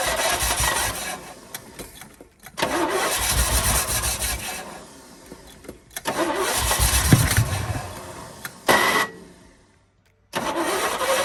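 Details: 1972 Chevy K10 4x4, 350 V8, sat 20+ years, cold fuel lines: repeated cranking bursts where engine catches, stumbles unevenly and dies; good oil pressure when firing, possibly flooded, owner suspects fuel delivery.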